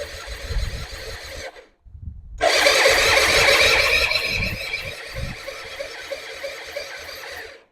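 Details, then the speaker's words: 2005 Suzuki Intruder 250 LC non-runner with a rusty tank on reserve and a sticking choke: starter whirs and grinds for several seconds under a high squeal, but the engine never catches. Spark confirmed; compression still to be checked. Cranks but won't start. "Okay, guys. Doesn't start clearly."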